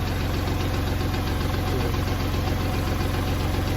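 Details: Kubota tractor diesel that wouldn't crank despite power and good fuses, now running: steady idle, low thump about 150 beats a minute, no knocks or misses; normal.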